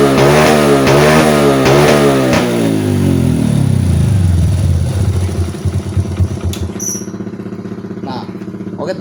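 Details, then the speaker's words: Honda Supra motorcycle with a Vario 110 piston and a Keihin carburetor from a Ninja, before diagnosis. Revs climb from idle, then sag and break up at the top; low end fine but no top-end power: high-rpm bog, cause not yet known. "jadi kayak gitu ya setelah dinyalain motornya dia Atasannya itu ngok ya teman-teman jadi Atasannya itu gak ada tenaga"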